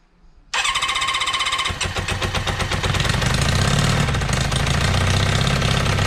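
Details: Kawasaki 550 after carb cleaning, exhaust fitted loosely without copper washers; engine catches and settles into a rough, fast idle with sharp puffing pulses, likely exhaust leaking at header joints.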